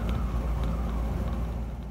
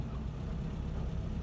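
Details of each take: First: 1976 Land Rover Series 3 109, 2.25 petrol, driving before a new exhaust: loud, deep, rough roar from a holed exhaust blowing at the manifold, where a stripped stud had a too-long bolt botched in. Exhaust leak. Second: 1976 Land Rover Series 3 109 with 2.25 petrol engine, driving after a new exhaust was fitted: a steady low engine purr with no exhaust roar or blowing. Much quieter; normal running.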